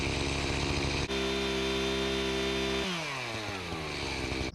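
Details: Echo CS-590 chainsaw after the high-speed screw was turned clockwise to raise RPM below the 13,000 limit: steady, clean high-pitched scream held at full throttle, then dropping away on release; rechecked right on target.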